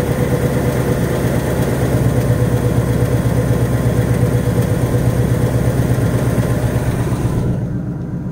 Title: 2018 Mustang GT typewriter tick. BBQ tick. Comes and goes. Rod knock? Piston slap?